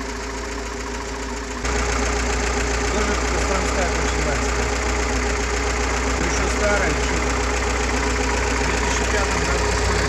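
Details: GAZ-69 with UMZ-421-variant gasoline engine after overhaul, Kostroma piston group, contactless ignition, original carburetor, fuel pump and old-style intake manifold, being run in: steady even idle, low constant drone, no knocks or misses; runs smoothly.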